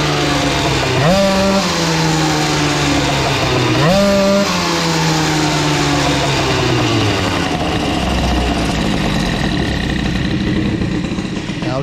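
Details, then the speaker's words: CPI 70 GTR two-stroke with BOOST bottom end and Airsal kit, on a ride with the 88 main jet: raspy blips rising and falling, then a blubbery burble at steady throttle. Very rich, jet too big; an 84 jet was ordered. "je sais pas si vous l'entendez, mais moi je l'entends, hein, c'est très très gras, très gras, c'est..."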